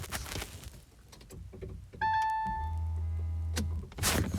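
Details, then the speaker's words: Electric car high-voltage system startup, phone on the floor: a few sharp clicks and clunks as the HV battery contactors cycle and close, then a steady low buzz from the brake booster pump; normal contactor startup. "But I'm just going to put the phone on the floor, and then you can listen to the contactors doing their little dance."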